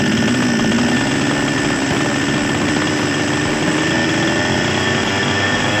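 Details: Small Chinese two-stroke chainsaw that would not start without priming, fixed by replacing a torn seal/gasket; steady, even buzz with slight pitch rise, no stumbling, now running healthy.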